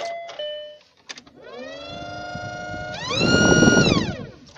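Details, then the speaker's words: VAZ 2114 heater blower whistling: high steady whistle climbing in pitch as the fan speeds up, from a dry motor bearing; fix is removing, disassembling and lubricating the bearing. "Всем привет. Обогреватель свистит"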